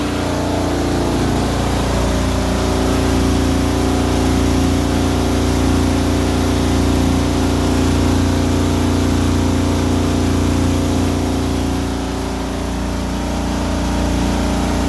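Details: Frigidaire Affinity dryer AEQB6000ES0 running: loud steady low rumble with faint pulsing vibration; solved by replacing the motor and blower housing and fan, owner thinks the blower alone was the cause; dryer rumbling and vibration.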